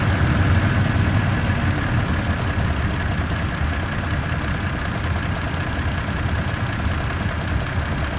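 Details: Toyota Tacoma TRD Off-Road (listed as 2023/2024). A heavy, low, helicopter-like whirring drone runs steadily under the engine from 0:33 onward. The source is unknown.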